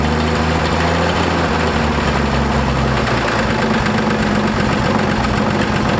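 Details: Ford F100 classic truck at steady idle with a fast, even light tick over the engine note, possibly exhaust leak or valve tick, unconfirmed.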